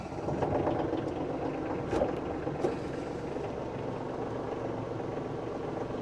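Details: New Kioti CK2610SE HST cab tractor with loader, diesel under 35hp, no regen system, just started: steady diesel chatter at low idle, even and unhurried, no knocks or misses; healthy idle.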